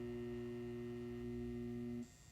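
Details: Satco 150W ED17 high pressure sodium bulb on S55 ballast, made April 2013, 6.5 years old, cycling from sodium loss: loud steady ballast hum with buzzy edge cutting out as the lamp cycles off.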